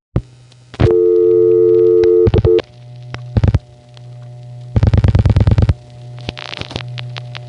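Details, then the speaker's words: Long-wire interzone trunk call to Bayside on the November 1975 replacement City and Interzone tandem network: over a low line hum a loud steady howl holds about 1.5 seconds before clicking pulses, the trunk briefly breaking into oscillation. "In fact, here's another call to Bayside starting to go through. And you can even hear it going into oscillation for a second."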